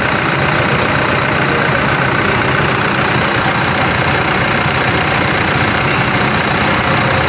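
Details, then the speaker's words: Engine after repair near alternator belt area: steady even idle, no ticking, squeal or rattle; earlier noise gone, running smoothly. "Wala na po yung ingay na kumalag singsing singsing na po ah papalabas na to matatapos na ngayon naala na yung ingay ng ahang kal magising na lalo na agag may n- rebolusyon po ngayon normal na normal na po Okay normal na"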